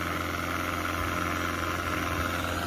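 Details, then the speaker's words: Outboard (on DIY skiff) under load on test run 4 after swapping to a different cleaned carburetor with new gaskets: strong, even drone with no misses, stumbles or surging, audibly better than before. "This, you can even hear the difference from before. This carburetor, oh man."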